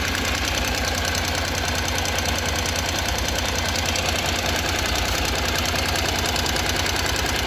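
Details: 2014 Honda NC750X at about 55,300 km, idling just after owner's first valve clearance adjustment: fast, light, crisp ticking around three per second over an even idle; valvetrain tick suspected, not confirmed.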